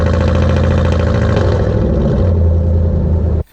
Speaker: True duals, no mufflers, so you can obviously hear it very loudly when it's in V4 mode. Since it doesn't work very much, it just hops in and out of V4 mode, but you hear like the super choppy tractor sound, which I'll put in a clip here.